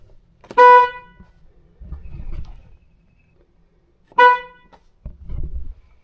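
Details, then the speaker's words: Ford Bronco, which has two stock horns, high note and low note: two short honks with only a thin high tone and no deep note, because the low-note horn has failed; fixed by replacing it with a stock low-note horn. "my horn didn't sound right I got in it the other day I tried to use it and it made that weird high tone like a little Prius"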